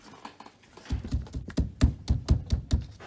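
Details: Firm, dull thumps on the rear left door panel of a Tesla Model 3 after securing the emergency release cap with double-sided tape; no buzz or loose rattle after each hit, the rattle is gone.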